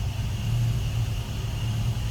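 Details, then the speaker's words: Stock 1979 Ford Thunderbird, V8 with 40,937 or 40,932 miles, idling, heard from inside the cabin: low, even rumble with no lope, misfire or ticking; runs smooth, normal idle. "You can hear how smooth this runs."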